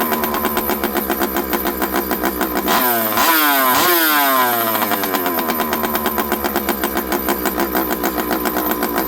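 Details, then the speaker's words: Stihl 064 two-stroke chainsaw after a rebuild, running on the bench. It idles with a lumpy, irregular beat, blips up and falls back. The low jet, at about 1.5 turns, won't give enough fuel to stall it; the owner suspects it may still need a carburetor. "Okay, friends. Well, I'm not saying it's 100% better. Low jet, the low jet doesn't seem to want to give me enough fuel to stall this thing out, which is odd, but I can lean it."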